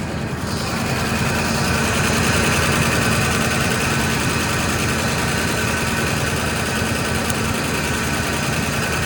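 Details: Fox Body Mustang V8 on a jump box, first start after sitting: busy, fast ticking idle of about three pulses a second, fairly steady as it settles; no smoke, doesn't sound great up front, possibly a dropped felt, cause unknown.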